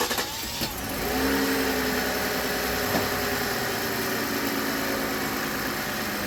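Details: Toyota Avalon after alternator replacement and serpentine belt refit, which previously whined on cold start: the engine catches quickly and settles into a smooth, even idle with no whine or squeal from the front accessories; sounds healthy.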